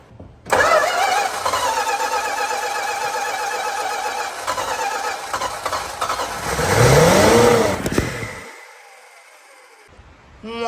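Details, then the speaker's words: 1965 Plymouth Barracuda, 273 V8, 138k miles, off road since mid-90s: steady starter cranking with no catch after priming fuel runs out; fuel pump suspected failed; crank no start. "it's amazing how briefly it'll run on that much fuel still nothing here okay well while I was optimistic about the fuel pump's uh chances I think it's a no gang running out of priming fuel"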